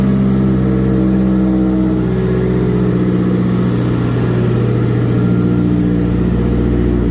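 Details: Mazdaspeed 3 first fire-up after a head gasket replacement with head studs and a Cometic gasket: the engine fires and settles into a smooth, steady run with a brief rev blip; no knocks or misses, running healthy.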